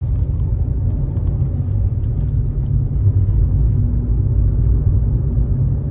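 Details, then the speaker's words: Hyundai i20 test drive after full service and engine decarbonization: low, smooth engine rumble under road noise with no ticks, knocks or whine; engine now smoother and quieter, pulling evenly with better pickup, normal running. "डिकार्बन केलं आहे गाडीला. डिकार्बन केल्यामुळे गाडीचं engine smooth झालं आहे, आवाज कमी झाला आहे, गाडी एकदम फ्रीली पडायला लागलेली आहे स्मूथली."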